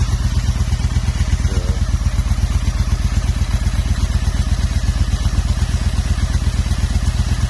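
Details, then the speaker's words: 2005 Honda Shadow 750 dual-carb V-twin with idle misfire, power loss under load, runs only on choke: lumpy idle about two beats a second, revs rising when intake boots sprayed; vacuum leak past slipping OEM clamps, plus one unconnected spark plug. "Pulled the front cover off to find that Spark plug not connected might be an issue. Looks like we have a nice vacuum leak."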